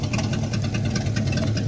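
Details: 1958 Plymouth V8 during build, idling briefly with radiator but no cooling fan, kept short to avoid overheating; steady, even low rumble with smooth lope and no knocks or ticks; normal idle.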